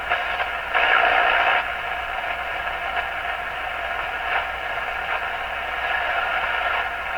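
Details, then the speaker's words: Stromberg Carlson Model 515 radio during 455 kHz intermediate-stage alignment, signal fed at the antenna input rather than the 6A8 grid cap: steady hiss with faint signals and a louder noisy burst. Excessive sensitivity right at the band end. "Very odd. It becomes very, seems to be very, very sensitive right at the very end of the band."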